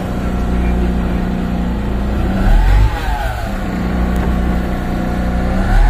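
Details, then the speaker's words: MAN diesel dump truck, no-start fixed by rejoining cut wiring plus a new battery, check engine light on; revved right after starting: deep note climbs and settles evenly; normal revving. "Revolution kaagad sa bagong start. Revolution kaagad bagong start para labas yung mga berzer."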